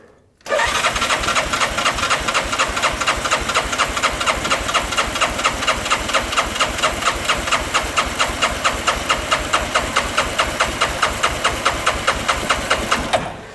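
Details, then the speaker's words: 2013 Bennche 500 single-cylinder UTV compression test, fuel pump unhooked, throttle wide open: starter cranks about five even pulses per second for thirteen seconds; gauge reached 150 psi, compression judged good. "So we're about, that one there is at 150. So I think we're probably good on compression."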